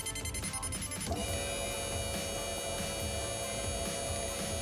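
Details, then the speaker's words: LS-swapped F-body with a crank-no-start: the fuel pump, jumped directly with power and ground, spins up after a second into a steady electric whine; the pump works but got no power with the key on. "so I got my ground got my power and yeah pump is working"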